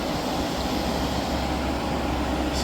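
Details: Hyundai portable AC after leak repair and recharge, with a drain-tube modification into the tank (a full-tank sensor shuts the compressor off): constant fan whoosh over a low, steady compressor hum, no rattles or surges, running normally and blowing cool, if loud.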